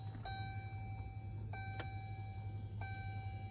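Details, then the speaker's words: Diesel Jeep Grand Cherokee WK2 after a fuel filter change, key in accessory, engine off: a steady low electric buzz from the fuel pump priming normally, with three dash chimes over it. "can hear the fuel pump buzzing away."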